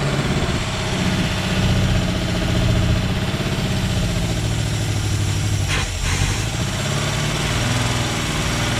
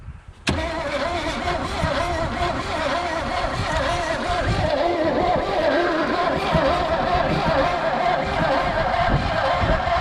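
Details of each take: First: Chevy Vega wagon with a 350 V8 and 4-speed, year unknown, first start after about 15 years sitting in a field, no belts fitted: deep, steady idle with one brief dip; runs smoothly, better than expected. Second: Abandoned Chevy Vega wagon with 350 V8 and 4-speed, sitting 15 years in a field, possibly weak battery and jury-rigged cable: starter turns the engine steadily about ten seconds but never fires; cranks without starting, cause suspected, not confirmed.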